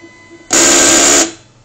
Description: As you can see after first turning it on the cutting head moves past the starting position and proceeds to crash against the housing of the unit. This causes the belt to slip creating the clicking sound.